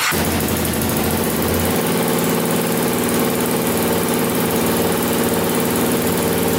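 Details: 2000 Can-Am DS650 quad, single-cylinder 650cc, freshly rebuilt top end, restarted after brief oil leak stopped: steady idle with faint cam chain tick, quieter than before, but idling a bit high; owner may adjust carburetor.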